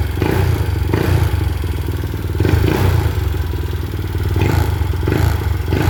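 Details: Mio i 125 M3 scooter at an uneven idle just after fitting an RVN 28/24 big-valve head. A light, rapid tick keeps pace with engine speed because the valve clearance was deliberately set loose on the new install until the valves seat. Not yet tuned or road-tested.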